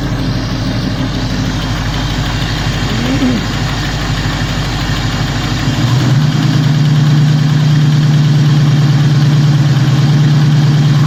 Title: 351 Cleveland ticking sound from passenger side of engine